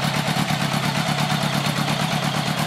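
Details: 1980 Honda Goldwing Interstate flat-four after Accel 140403 Super Coil install, ice-cold start, no choke or warm-up needed: settles straight into smooth, even, steady beat, no stumbling or misses; normal cold idle.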